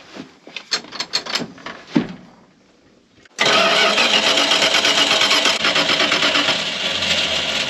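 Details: Engine after starter reinstalled: a few clicks, then the starter spins it steadily about three beats a second without catching; rotten-gas smell while cranking, owner suspects the fuel system next.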